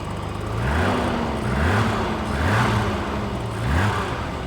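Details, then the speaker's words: 1985 BMW 635CSi E24 after 12 years sitting, just revived by replacing the crank sensors: steady, even idle with a smooth low rumble, no knocks or misses. Runs cleanly. Normal idle. "dust I'm actually amazed right now at how nice this car runs 10 years and it runs like a top"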